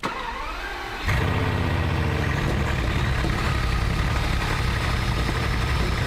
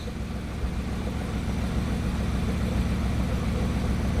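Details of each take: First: Big petrol engine cranks and settles into an uneven, stumbling idle; parts swapped 15 to 16 but cylinder 16 misfire remains, plus random misfires on cylinders 9–14 and 16, all on the left bank; suspect spark plug, ECU or that bank's unit. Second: Warm Bugatti engine idling smoothly and evenly, with no stumbles, after swapping parts side to side to chase a random misfire. No fault codes showed and the misfire did not reappear warm; a cold-start retest is still needed.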